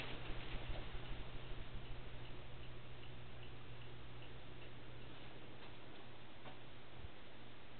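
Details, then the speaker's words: Hunter Parklane ceiling fan fitted with a remote control after low speed failed despite new capacitors and switches, running on high with a slightly bent blade from a worn washer: quiet steady hum, soft early ticking fading to an even drone; normal running. "okay it's going to start this baby off on high you have excuse the blade a little bit cuz it's kind of bent cuz of cuz of a washer been worn out yeah that air sounds really nice"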